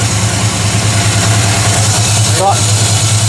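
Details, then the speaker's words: Chevy Vortec 350 in G-Body Cutlass after intake manifold gasket replacement for misfires: even steady fast choke idle with smooth low pulse, no misses or ticks, good vacuum; normal idle, still on choke. "Sounds good. It's still on choke though. So, once we take it off choke, we'll see."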